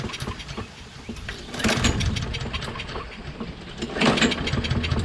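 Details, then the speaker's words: Toro Recycler XT675 mower, Kohler engine, carb ultrasonically cleaned, normally starts only cold with choke closed: repeated pull-cord bursts with no firing even with choke shut; no-start, carburettor doubted as cause. "well i guess it doesn't want to start even with the flop closed insanity insanity i don't understand"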